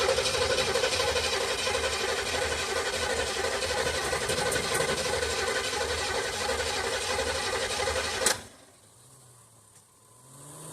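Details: 1976 Olds 455 big block with 400 Turbo in an 84 Blazer/Suburban, sat 155 days; sluggish labouring crank about four turns a second for eight seconds with no firing; weak battery, slow cranking.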